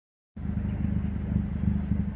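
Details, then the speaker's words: 2012 Honda CR-V exhaust at idle: loud, deep, uneven rumble with chuffing pulses, hot-rod-like and squeaky. Exhaust leak from a gap between the muffler and what is thought to be the catalytic converter. "basically what has happened is there is a gap between my muffler and I guess my cat over the converter"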